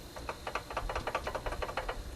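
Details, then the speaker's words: 1988 Chevy pickup, fan and pulley removed: quick loose clacking as the water pump shaft is rocked by hand; pump bearing worn and falling apart, coolant leaking from the same center spot, pump being replaced. "If you can hear that, the water pump is falling apart."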